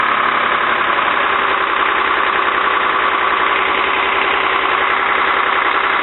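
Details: Cummins with VE injection pump, after injector line repair and coolant topped up: diesel clatters at a steady idle with even knock rhythm and no misses, smoking after start; running properly.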